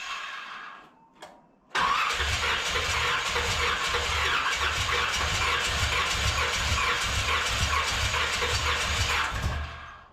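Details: 1981 Corvette engine freshly reinstalled, timing checked correct, valves open and close (owner assumes none bent): coarse, uneven running with occasional pops, backfiring out the carburetor secondaries; carb soaking wet, owner suspects too much fuel despite adjusted floats.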